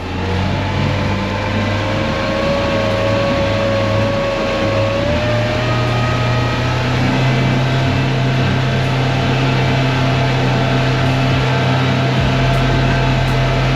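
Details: Mercury outboard on a fishing boat, moments after leaving the dock before it broke down: steady mid-pitch run with a rough, uneven hum and faint wavering tone; abnormal engine noise, cause unclear.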